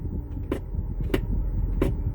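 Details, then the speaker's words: 2011 Ford Escape shift interlock, engine idling, brake pressed: three sharp clicks about two-thirds of a second apart as the solenoid engages and releases; works now but sticks on cold mornings, owner suspects it is gummed up. "the interlock solenoid coming in and out and in the morning sometimes that doesn't work"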